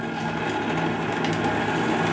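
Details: JMC 3 steam engine in the Lechalas RC live steamboat, after the factory repair of a piston torn off its rod thread, running on its regulator at about 2 bar: light, quick, even mechanical beat with no knocks or misses; healthy.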